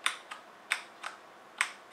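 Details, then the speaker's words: HyperX Alloy FPS Pro keyboard: three sharp, bright clicks with a faint metallic ring and a softer release tap. Abnormal crisp click on both left and right arrow keys, present from day one. "can hear like that crisp noise i think you can tell so that happened to both left and right arrow key this is what happened from day one of using this keyboard"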